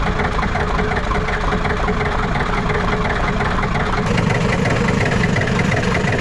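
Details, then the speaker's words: Ford 7.3 IDI diesel revival, cranking after the glow plugs were reconnected: steady, heavy chugging at about three beats a second without catching. Crank, no start; owner suspects air in the fuel system, not confirmed. "we might be dealing with some uh air in the system"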